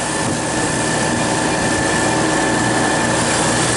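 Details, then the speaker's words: Refrigeration compressor in -14 wind chill, where a crankcase heater on the receiver tank raised refrigerant pressure enough for the pressure control to cut in: steady, even mechanical drone while pumping down; running normally. "this is now the compressor is running it warmed up the refrigerant enough so it expanded just enough to kick in the the fres frost and she should start pumping down for us"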